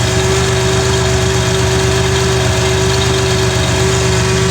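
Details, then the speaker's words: Car under diagnosis for an intermittently lost 5-volt reference at the MAP sensor, possibly heat related: smooth steady idle, constant low drone, no misfire or tapping; running normally at the moment. "But it seems to be running perfectly fine right now."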